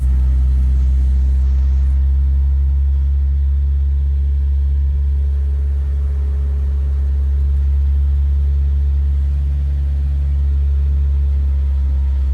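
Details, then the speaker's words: Car driven home with locking pliers on the missing steering wheel, engine droning steadily and evenly with no knocks or misses; drives fine despite a toasted upper control arm. "yeah, drives fine. Even though the upper control arm is completely gone."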